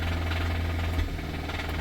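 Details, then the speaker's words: 2017 Kia Sorento four-cylinder, possibly turbo, towed in, restarted on booster pack: heavy low deep rapping knock under a rough idle; engine knocking, needs a replacement motor. "You keep a knocking, but you can't come in. So that is definitely an issue."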